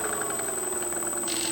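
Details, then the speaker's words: Freewing 4258 580kv brushless motor from a P51D after a prop strike, run at low speed: steady whine with fast rough knocking and shaft play from damaged main bearings, later replaced with 5x11x5 bearings. "Okay, so I'm going to run the motor at a low speed and we'll hear that sound, that knocking sound, which indicates a bearing. So you can hear that knocking sound."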